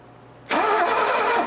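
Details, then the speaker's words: Mercedes 250 (W114) parked for decades, starter jumped directly from neutral safety switch ignition wire to starter solenoid; a second of quick, even cranking, no clicks or grinding; starter works, neutral safety switch suspected (possibly ignition switch). "okay this is good well it kind of actually sucks that means i have to figure out where the neutral safety switch is because that's clearly uh clearly what the problem is starter works"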